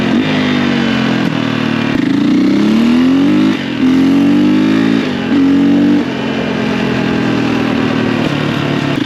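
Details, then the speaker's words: 2004 KTM 450 EXC single-cylinder ridden after new forks fitted, not fully warmed up, long unridden, dead battery: pulls cleanly through repeated revs and shifts, pitch rising and dropping smoothly, no knocks or weird noises; normal running. "So far, so good. It really did feel good. Everything feels good, no weird noises."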